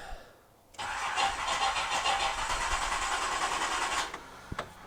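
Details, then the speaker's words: Nissan Z31 after fixing swapped spark plug wires 4 and 6: starter cranks steadily about three seconds without a clean catch, then cuts off; engine dislikes the disturbed ignition, hard start. "fire it up for some reason this thing it doesn't like the ignition we mess with at all"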